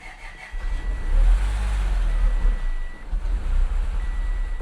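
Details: 2014 Audi S5 supercharged V6, third start attempt with altered MAP readings: a low uneven rumble swells, falters and dies under a warning chime; rough start then stall, after which the swelling battery goes dead.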